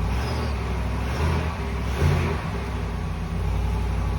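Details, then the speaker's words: 2020 Ram 5.7 E-Torque V8 after replacing the idler/tensioner pulley (part 68518735AA) that whined on acceleration: deep, even idle with two light throttle blips and no belt whine. "Sounds a lot better to me. Looks like that's all it was, folks."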